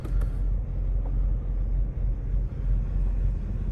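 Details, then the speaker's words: 2003 Mercedes-Benz E500 5.0 V8, rear-wheel drive, at idle: deep, uneven rumble with dips and shudders, not running its best; owner blames a broken catalytic converter, maybe a bad O2 sensor. "You can tell it, you can hear maybe the vibration. So you can tell it's not running its best. It has to be because of that catalytic converter, and maybe the O2 sensor really is bad, but I think that has to come down to the broken cat."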